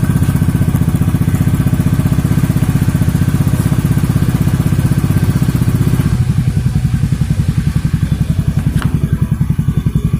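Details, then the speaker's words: Beat scooter Tsukigi exhaust idling after the glasswool was replaced and the L-bolts retightened. Soft, even exhaust pulses with no raspy edge, noticeably smoother than before. "Nah, lebih halus guys suaranya."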